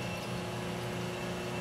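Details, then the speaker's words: Boiler circulator pump with a well-oiled motor, believed a 1/6 hp split-phase resistance-start induction-run, with an audible centrifugal switch: steady, even motor hum with a faint high whine and no knocks or rattles; running healthy. "But yeah, this thing still runs great."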